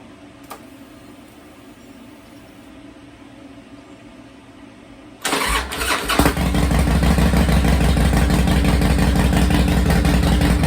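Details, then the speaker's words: 2005 Harley-Davidson CVO Fat Boy after replacing a stripped clutch hub, clutch and bearing: the V-twin catches at once and settles into a loping, even idle. "all right let's test it out i guess moment of truth let's fire it up wish me luck"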